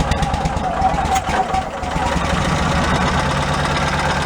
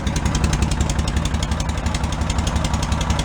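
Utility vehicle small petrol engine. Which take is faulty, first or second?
first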